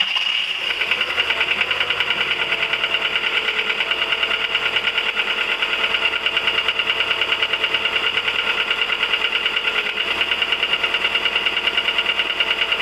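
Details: 1999 VW 1.4 16V: fast steady ticking about three per second over a smooth idle; engine ticking at idle, cause unconfirmed.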